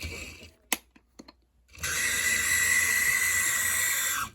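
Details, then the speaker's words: Taiko Chattanooga model locomotive: harsh buzzing grind with thin high whine for about two and a half seconds from noisy drive gearing; owner thinks it needs fresh oil, quieter in reverse. "yeah that's not good sounds like it needs fresh oil a lot of it seems to be quietish going backwards"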